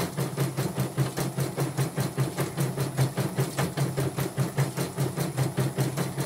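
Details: Portable embroidery machine shipped from Sekayu, South Sumatra with complaints of no embroidering, blank screen, hoop not positioning and dead touchscreen; test stitch after mainboard, LCD and touchscreen work: even needle ticking about 2.5 per second over low motor hum, no knocks or grinding; normal embroidery stitching.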